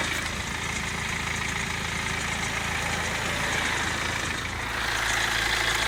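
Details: BMW 116d with the N47 diesel idling: a fast, fairly even tapping rattle rides on top; timing chain noise suspected but not confirmed.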